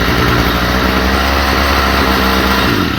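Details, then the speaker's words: Stihl FS45 trimmer after carburetor ultrasonic cleaning, carb fuel pump very weak; high, slightly wavering buzz that sags off at the end; rough running, idle and high turned up, may not cold start, cause not pinned down. "It will run. The fuel pump is really weak in it because uh here we'll show you I know."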